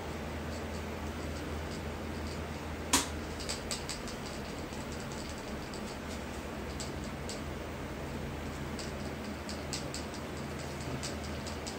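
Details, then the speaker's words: Powder coating steel rims, KK HD gun held close: sharp snaps and crackles over a steady hum indicate back ionization from kV or microamps set too high, risking bubbles. "when you get close you'll hear that crackling um that crackling is basically your uh KB it is probably up too high or your microamps is up too high um it's gonna be back ionization"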